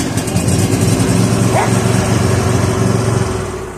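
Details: Bad Boy mower single-cylinder engine, choke off, then full throttle: steady, fairly even idle with no misses or knocks. Oil due for a change. Normal idle.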